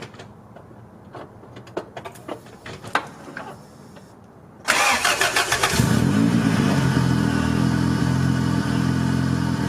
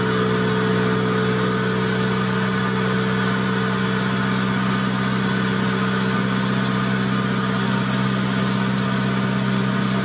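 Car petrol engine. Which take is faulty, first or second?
second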